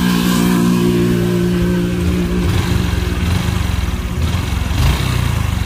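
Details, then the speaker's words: Honda Future Led scooter (2022) idling and blipping with a light rattling lọc cọc clatter under the exhaust beat; worn cam chain, and the tensioner gear shows early wear. Clutch being redone after slipping. "ờ ờ nghe máy thì thôi có tiếng lọc cọc nhem nổ ra tay thôi có tiếng lọc cọc"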